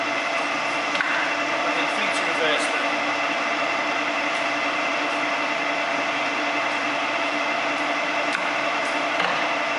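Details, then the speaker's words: Harrison M300 lathe running in reverse after power feed and threading tests: steady, even whirr and hum with no knocks or grinding; quiet and healthy, normal. "it's only a quick test just to give you a quick demo of how quiet and nice it is"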